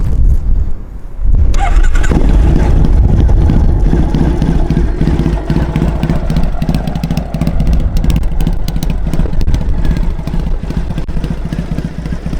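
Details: Triumph Bonneville SE twin (listed 2010, also called 2012), fuel-injected, about 4,518 miles: catches quickly after a short crank, then a steady twin rumble with clean rises when revved, no rattling or knocking; normal start and rev.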